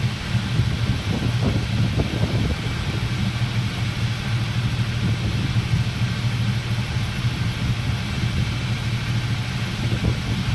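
Deep, steady V8 idle with a slightly uneven beat and a few stumbles early on; one cylinder has been made to misfire.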